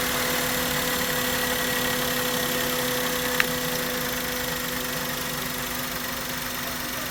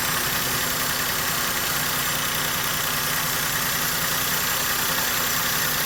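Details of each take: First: Maruti Suzuki K-series car engine after coil and spark plug work for a misfire: steady, even idle with smooth hum and no stumble or misfire beat; running cleanly. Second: Maruti Suzuki K-series engine at idle with a misfire, causing mileage drop, pickup loss and vibration. Uneven, stumbling beat under a lot of hiss. The fix shown is replacing the ignition coil and spark plug.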